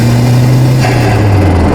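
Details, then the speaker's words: Renault 5 GT Turbo driving in third gear: engine note drops sharply on lift-off, followed by a rushing, fluttering chirp, compressor stall/surge as boost backs out through the turbo; standard car with no dump valve. "you hear that whoosh as well as you come off the kind of chirping sound that's actually called compressor stall"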